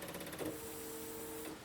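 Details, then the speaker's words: Jeep with a bad fuse connection that has to be wiggled, on a mild 55°F day: after the seat belt buzzer and a faint click, a short steady electric hum of about a second; fuel pump priming. "right now I'm waiting for the seat Bel buzzer to go off I don't hear the fuel pump no there it"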